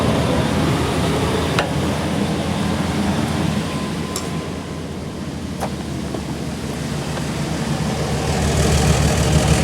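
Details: Chevy/GMC 5.7L Vortec V8 truck idling after fuel pump replacement: a steady low rumble with no misses or knocks and a few faint clicks. The engine idles normally and the new pump is quiet; spider injection issues are expected later.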